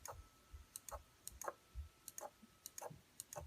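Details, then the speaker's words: Chinese knockoff Delta DLT-180 3D printer, X-axis stepper borrowed from another project (7 V rather than 12 V, lower Vref): jogging 10 it flickers, jitters with sharp irregular clicks and a loud squeak; owner suspects the supplied steppers are miswired. "so here's ten and it just flickers and makes a loud squeak here we go again"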